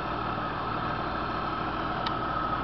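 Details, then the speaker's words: 1996 Chevy Camaro RS with suspected head gasket (steamy smoke when first started, none once warm): quiet, smooth idle with a soft even hum, no knocks or ticks, motor not noisy; normal idle. "Motor sounds good enough. You know, it's not noisy or anything. It's a quiet motor."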